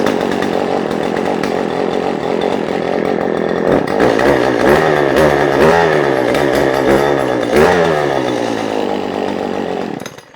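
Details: Roadside-discarded two-stroke chainsaw, rebuilt, 150 psi compression, started on choke: strong snarl rising and falling cleanly with throttle blips, then shut off; normal running.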